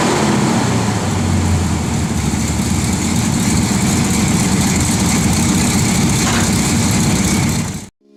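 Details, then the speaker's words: Customer's 1985 Chevy C10 truck after brake rebuild: steady even low-rumble idle, no misses or tapping, then shut off; normal idle. "it seems to idle okay I'll give you a quick startup so y'all can hear it"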